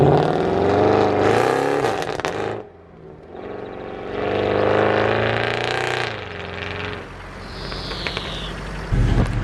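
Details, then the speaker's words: Salvage-auction Mercedes C63 AMG V8 creeping up the drive: revs rising and sagging unevenly, engine hunting while nav screen flickers and airbag and ABS lights come on; cause unknown. "Okay, something really weird's happening. The car's hunting and the nav screen keeps going. Every time it hunts, the nav screen goes in a little bit more."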